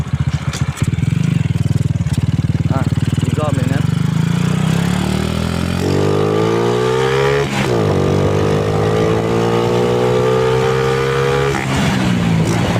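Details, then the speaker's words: Small single-cylinder motorcycle with aftermarket N-Pro carburetor after tuning jets, light throttle test ride: picks up cleanly from idle, pitch rising steadily with no bogging or surging; normal acceleration. "อ่านี่นะครับก็ติดมือนะครับอ่าไม่ไม่วอดไม่วูบนะครับ"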